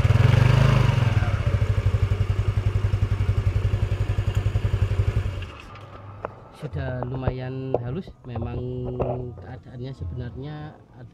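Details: Yamaha Mio scooter, CVT cover reassembled, with a groaning "krok krok" on pull-away (suspected causes: roller housing, CVT bearings, driven face bearing, transmission): engine idles with an even, quick putter, no grinding or rattle; smooth CVT running.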